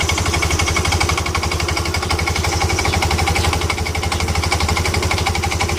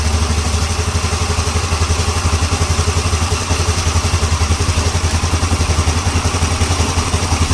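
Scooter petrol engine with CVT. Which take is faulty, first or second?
first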